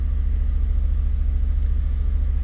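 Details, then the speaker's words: 2002 Fiat Punto 1.2 petrol that judders with flashing engine light, restarted with a poor-condition connector: deep uneven rumble at idle with shuddering beat, same symptom persists; misfire, cause not yet confirmed, O2 sensor being checked. "On démarre. Même symptôme. Pour le moment, même symptôme."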